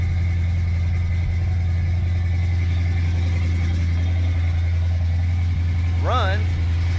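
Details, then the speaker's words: Ford Fox body at idle: a steady low rumble broken by an occasional sharp pop that is new. Misfire, most likely a spark plug not firing every time so the cylinder fills with fuel. "so you hear that pop typically that's going to be a spark issue i mean the spark plug is not firing all the time it's probably firing every other time or something like that the cylinder's filling up with fuel"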